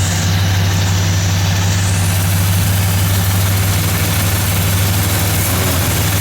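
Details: 1978 Chevy K30 Scottsdale 350ci V8, first start in 4 years after sitting, alternator charging 15 volts; deep even rumble with no misses, knocks or hunting. Normal idle.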